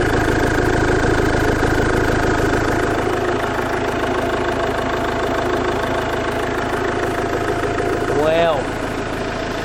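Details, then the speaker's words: 2017 Iveco Daily Gen 3 2.3 diesel after engine removal, crankshaft tone ring repair and clutch refit; steady smooth diesel idle, no knocks or bangs, nothing dripping, engine sounds healthy. "sounds good. Don't hear any knocks, don't hear any bangs."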